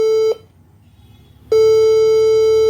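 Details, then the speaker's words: HP all-in-one PC at power-up: three long beeps then four short beeps, with a blinking light; caused by the original HP adapter failing and a different-model adapter being used. "तीन long beef हो गया 1234 यह कर shot भी हो गया यहां पे लाइट भी ब्लैंक करता है बी अपने पे"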